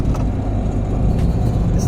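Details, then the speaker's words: Quiet drive belt after penetrating oil was sprayed on a new eBay 6-rib alternator belt that squeaked and couldn't be tightened further: steady engine drone with no squeal or chirp. "So I just did the dumbest thing I could think of, y'all. I sprayed penetrating oil on my belt. It ain't squeaking though."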